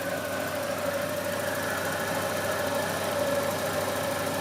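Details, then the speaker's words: Volvo 240, first start after months off the road for water pump, timing belt, thermostat, B cam, shims and ECU, still cold: steady idle with a faint high whine and exhaust hiss; owner suspects an exhaust leak, whine possibly the fan. "I definitely have an exhaust leak somewhere. I can hear it, but it's doing this little wee thing. I don't know what the hell that's all about. Maybe that's the fan."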